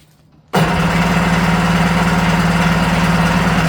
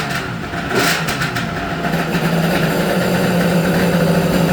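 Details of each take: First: Restored vintage Kawasaki 550SX (reed motor, stage 2 port, dual 38 Mikunis) first start attempt: strong, even cranking pulses for about three seconds, never catches; fuel starvation in one pickup line, carb suspected. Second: Restored Kawasaki 550SX two-stroke jet ski (stage 2 ported reed motor, dual 38 Mikunis), low carb screws one turn out: crisp buzz holding steady idle with a few throttle blips before shutoff; runs clean and healthy.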